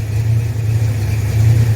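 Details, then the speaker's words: 1979 Ford F150 with rebuilt engine: low, smooth, even idle with steady deep rumble, no knocks or misses, cam lift rocking truck; normal idle. "so it'll sit there and idle all day long at that point right there that's what it sounds like"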